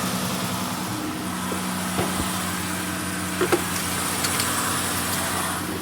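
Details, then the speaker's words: 2016 Dodge Grand Caravan 3.6L idling with the accessory belt removed: a steady low hum with no whine or chirp. The start-up noise disappears, so the alternator pulley or bearing is blamed, not the timing chain or tensioner. Normal idle. "el problema es el alternador el bicing del alternador que es el que está causando el ruido al arranque sin la banda sin la faja o la banda de los accesorios pues no no no hace ruido"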